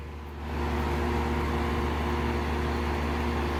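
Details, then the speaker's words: 2002 Lennox Elite series 3 or 3.5 ton AC, outdoor unit, first start of season: quiet, then within half a second a steady low hum with even whir as the Copeland scroll compressor starts; clean normal startup. "and she's off hear the copeland scroll coming on"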